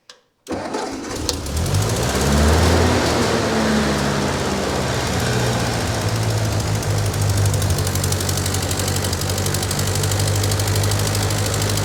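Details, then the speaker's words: Ford 9N tractor that sat a long time, with a temporary wooden-dowel plug in the block no longer leaking coolant: cranks, catches within half a second, flares briefly, then holds a steady, even chug. Running well; carburetor left unadjusted. "all right now she's running good you know believe it or not that little plug doesn't seem to be uh leaking anymore I was going to mess with the carburetor but it's not running that bad right now"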